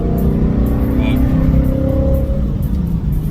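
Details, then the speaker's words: Car driving on new clutch; steady even low engine rumble over road and music, no slipping, grinding or knocks; engine and driveline healthy. "you can see she sounds good so i really can't complain now i really can't at the moment"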